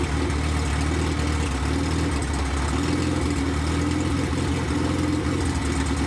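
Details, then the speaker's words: 1993 Honda Civic EG hatch, built LS VTEC (Manley rods, CP forged pistons, CSS, built B16 head, GSR cams, stock injectors, no turbo) on first start, open header, no throttle cable: loud even idle, deep steady rumble, no misses or knocks; running smooth. "It's running smooth. It's running smooth, boys. Let's go. Let's go. Baby, boys."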